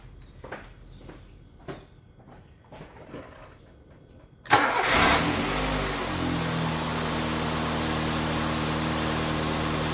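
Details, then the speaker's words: 2002 Nissan Almera 1.6 petrol, recovered stolen with engine light on and misfire, cranks, starts and settles to a steady, even idle with no stumble after a faulty 3-pin ignition coil was replaced; misfire gone. "Okay, as you can hear, that misfire is definitely gone. Okay, no more misfire."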